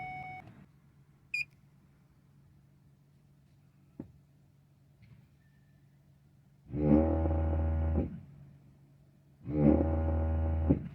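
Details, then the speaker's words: 2008 Ford Escape/Mazda Tribute after ABS pump and master cylinder replacement, scanner-commanded bleed with brake pedal held: two short steady motor buzzes, about 1.5 s each, from the ABS actuator; normal ABS pump cycling during bleed. "That's the actuator right there, making a lot of noise. Hope the camera can hear it."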